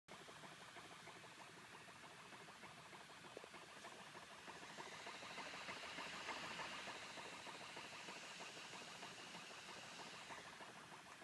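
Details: MacBook Pro SuperDrive copying a badly damaged iWork CD: loud, rough whirring and fluttering that swells and settles as the drive struggles to spin and read the disc.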